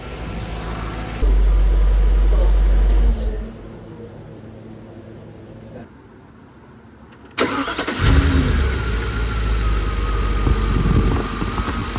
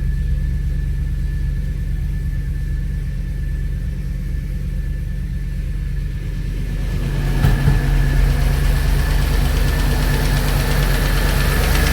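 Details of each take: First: Audi A6 C5 4.2 V8 quattro after intake manifold and chain-tensioner non-return valve repair and refill with oil: cranks, catches and settles into a steady, even idle with no knocks or misses; sounds healthy. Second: Audi A6 C5 4.2 V8 quattro, first start after replacing non-return (drain-back) valves and repairing intake manifold, no oil in heads: steady idle with quick light ticking up top that fades as revs rise; hydraulic lifter tick until oil arrives.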